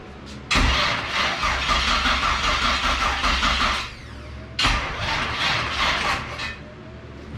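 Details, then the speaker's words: LS-swapped Fox-body: two long cranking runs of about 3 s each, fast even starter churn that never catches; crank no start because the fuel pump got no power from the PCM after wiring cuts, later fixed by wiring the pump straight. "so something I cut did not like so I just won't have him wired it straight that's just for the fuel pump now I can hear it kick on"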